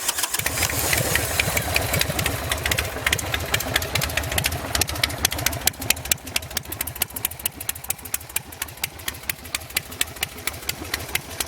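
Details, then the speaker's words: Custom Buell Lightning bobber, stock carb and custom air cleaner, just started: low loping V-twin idle, uneven-firing pulses about 140 a minute, no knocks or rattles; idles nice and low, normal idle. "idles real nice, idles real low. This bike really runs good."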